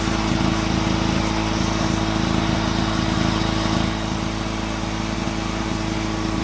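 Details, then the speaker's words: Honda EX350 generator, running after sitting a while, under load in high output mode, reading 129 volts and 58.6 Hz: a high, steady, even single-cylinder note with no surging or misses. Normal running at high output. "all right we got it plugged in 129 volts 58.6 Hertz all right now high output mode"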